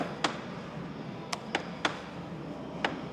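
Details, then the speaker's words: Sharp uneven clicks and pops as the front door swings on a 2022 Jeep Gladiator EcoDiesel with 60,000 miles; the center door check is grooved by dust, worn out by opening and closing, and mostly worn inside. "the opening and closing of the door um just wears it out"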